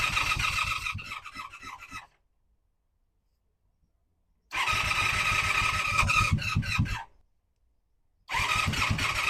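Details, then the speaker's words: 1985 Honda Magna V30 V4 motorcycle on first start after carburetor rebuild, JB-welded tank, ignition bypass and radiator install, fan unplugged: engine catches, runs ragged with uneven clattery firing, cuts out twice; sounds far worse than before the work, cause unknown. "It may or may not be obvious in the video, but this thing sounds like absolute dog It sounds way worse than it did the first time I started it before I worked on it."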